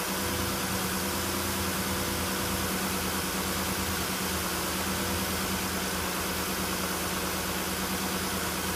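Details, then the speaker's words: 2010 Nissan Murano Z51, 87,000 on the clock, after throttle body cleaning, warming up from 1500 rpm fast idle with temperature rising and revs dropping: smooth even idle hum, no knocks or misses; runs softly. "Да, температура поднимается, а обороты опускаются. Пусть поработает пару минут сейчас. Посмотрим дальше, что будет. Двигатель работает мягенько."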